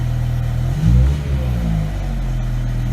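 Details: BMW E63 M6 after replacing the cylinder 4 coil pack and spark plug for a misfire and resetting codes: a deep, even idle with one quick blip, settling back smooth with no stumble or miss.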